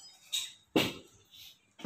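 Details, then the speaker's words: New Mitsubishi Fuso 4×2 SL truck, stationary, clutch pedal pressed: sharp loud clicks from below the clutch; the driver most likely adjusted it too short, so it needs readjusting. "Jadi, ketika ditekan, akan terdengar bunyi klik yang keras di bagian bawah kopling."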